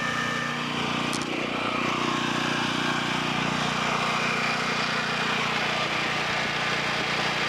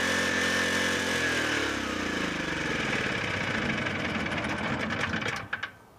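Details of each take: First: Low-hours 11hp Generac generator engine, generator head burnt out, after freeing stuck carburetor idle control: steady, even drone at constant speed with no hunting, knocking or misfires; running cleanly. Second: Free broken generator with a low-hour 11 hp Generac single-cylinder engine, to become a fire pump: it screams flat out at a constant high pitch, then cuts off; throttle is stuck wide open because the idle control is stuck.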